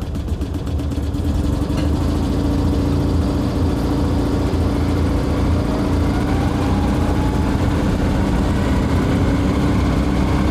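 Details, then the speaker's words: Invacar that spat out a spark plug on the road, plug screwed back into a damaged thread: lumpy, uneven idle with a hollow misfiring note, effectively running with one very leaky cylinder. "I hope she'll start but we'll avoid full throttle and see if we can limit back with one very leaky cylinder oh dear"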